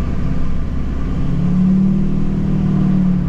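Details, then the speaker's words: LBZ Duramax after turbo replacement and turbo learn, warmed up: deep, even engine rumble building steadily under acceleration, with no flutter, screech or hiss; turbo responds and manifold pressure confirms boost. Normal turbo boost. "I mean, this thing's definitely got boost. I can feel it. I can feel the turbo respond. I can hear it respond."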